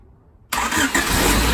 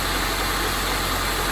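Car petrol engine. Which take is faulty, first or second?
first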